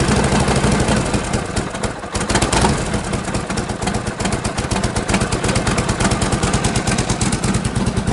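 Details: 1952 Harley Panhead, sat idle six months, started cold with choke off and spark retarded: fires on a single kick into a steady, loping potato-potato beat with no misses or clatter; healthy.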